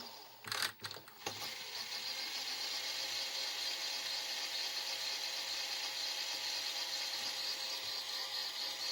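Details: Philips VR400 VCR with Turbodrive mechanism after repairing a broken gear: a few clunks, then a steady high-pitched whir with faint busy chatter; the tape mechanism now works, just somewhat noisy.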